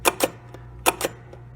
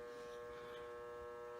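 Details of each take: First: 1973 Williams Gulfstream pinball, restored ball count unit, coil driving the cog unit: crisp paired clicks about 0.8 seconds apart, each step snapping cleanly with little resistance; normal stepping action. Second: 1973 Williams Gulfstream electromechanical pinball machine, powered up during restoration. A steady electrical buzz comes from a relay coil in the coin door and stops when the coil is pushed in. The relay coil is buzzing.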